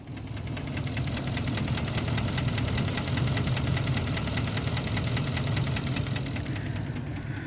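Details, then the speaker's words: 2017 Ford F250 6.2L gas V8 at idle: fast light ticking over steady idle, sounds like a lifter but traced to the failing IMRC in the intake manifold, which reportedly requires replacing the whole intake manifold. "Here's my 2017 F250. It's the 6.2 liter gas engine V8. It's got a ticking noise."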